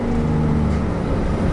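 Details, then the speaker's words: 1994 Toyota Coaster bus, 1HZ diesel, five-speed, 322 km on the clock, driving: steady deep diesel drone with a muffled, choked exhaust note as the exhaust brake closes off the exhaust and holds the bus back off the pedal; working normally. "it also has the exhaust brake as well which I'll demonstrate that basically means when you take your foot off the brake the car will slow itself down by closing off the exhaust you can hear that"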